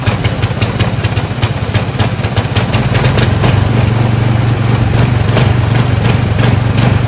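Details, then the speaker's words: Husqvarna snowblower, newly fueled, fires up after a couple of pulls: small single-cylinder engine runs at a steady, even chug with a low hum and no knocks or misses; sounds healthy. "Alright, fired up after a couple pulls."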